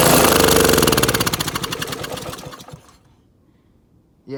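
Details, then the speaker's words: Honda GC190 single-cylinder engine, already hydrolocked, fed orbeez into the intake: fast, choppy beat slows over about three seconds and dies; stalls from ingested foreign objects. "feed your engine orbeez all right what happened are they stuck really i put glue inside i think"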